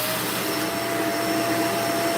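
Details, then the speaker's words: Vacuum after a small obstruction was cleared from the hose: a strong, steady motor whine with constant pitch and an even airflow rush, no choking. Suction problem solved; normal suction. "There was something in the hose. That's probably, you know, not not much, but it was something hanging around. Just enough to stop the other guy. But that's it, guys. And we solve our suction problem."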